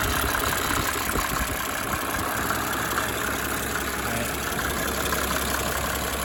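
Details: 1987 Mercedes 300 SDL, OM603 six-cylinder diesel, just after replacing a squealing remanufactured alternator: steady, even idle with soft diesel clatter and no belt or bearing squeal; running smooth and healthy.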